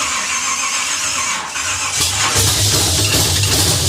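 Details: 1950 Pontiac gasser with a 350 and 6-speed, after the idle screw was adjusted and Champion plugs swapped for Autolites: a freshly fired V8 with a steady, loud low rumble and some belt squeal. It runs better, normal running.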